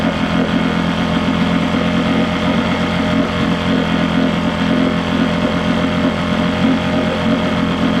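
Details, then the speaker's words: Johnson 6hp two-stroke outboard, compression and spark good, water pump fine, hard to prime: rough buzz that sags instead of climbing when revved. Lean bog on acceleration, later suspected to come from the float set too low running the bowl dry. "Unfortunately, it definitely has a lean log. Try to rev it up."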